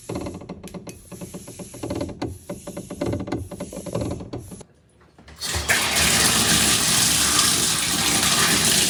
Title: rattling sound plumbing water hammering issue shower valve #shorts